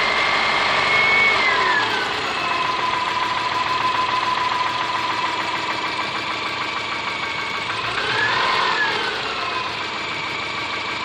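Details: Subaru Forester SG5 EJ25 at idle: quick regular knocking about three per second, rising as revs are blipped; engine knock, cause unknown.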